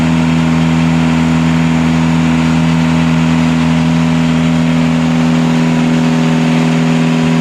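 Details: Catamaran genset bench-run after two swapped controller wires causing full-throttle shutdown were fixed; smooth constant fixed-speed drone, no hunting, knocks or surges: normal running.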